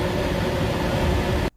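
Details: AC system with the thermostat set to cool/auto, heard at the return with the panel removed: the blower motor gives a steady, even whoosh of air with a low hum and no rattles or squeals, then cuts off cleanly, so the blower is running normally.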